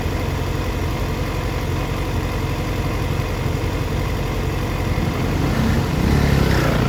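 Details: 2004 Yamaha FZ6 with immobiliser eliminator, misfiring when coming down to idle, dipping to 970 rpm versus 1260–1320 spec when warm: uneven, loping, stumbling idle with dropouts as revs sag; owner suspects a bad ignition coil.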